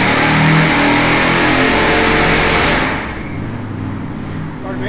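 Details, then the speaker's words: Freshly rebuilt 461 cubic inch Pontiac carbureted V8 on dyno, tuning pass after break-in and oil change: screams at high revs, then power abruptly cuts as it hits rev limiter at 5,000 RPM. "came up against a rev limiter quit right there 5,000 RPM it just came up against the r92"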